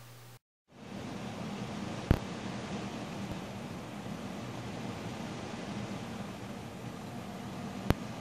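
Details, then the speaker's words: Deepcool Captain 240 liquid CPU cooler during the Intel Extreme Tuning Utility benchmark, worst-case load: steady, fairly loud airy whoosh with a low rumble, fan noise rising and falling with load, no ticking or grinding; normal, though loud above about 1500 RPM. "Now those, the fan kind of go up and down a bit, the fan noise a bit, when it's on load like that, because that benchmark kind of spikes it up and down a bit,"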